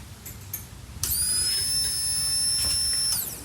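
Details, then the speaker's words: 1984 Pontiac Fiero, barn-stored over 30 years, new fuel pump and sending unit temporarily connected, key-on test: quiet, steady high whine for about two seconds that then stops cleanly; normal fuel pump prime. "ooh I think I heard it yeah awesome all right cool sounds like it's working it's not real loud pretty quiet"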